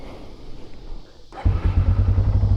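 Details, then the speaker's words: 2001 Yamaha Bear Tracker 250 two-wheel-drive ATV, restored with new plug, air filter and petcock: brief crank, single catches instantly and settles into a steady, even thumping idle; healthy start. "I got it running and I got it running really good. Here, I'll show you. Start it up for"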